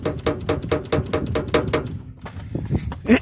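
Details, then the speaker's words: VAZ 2109 carburetor car in cold winter, driving over bumps on a rough village road: sharp metallic knocks about four per second, heard in the cabin, from the oil pan striking the engine skid plate; owner suspects sagging engine mounts, plans to bend the plate. "Вот смотрите. По ровной дороге еду, все нормально. Вот на кочке выезжаю и начинает вот этот вот стук."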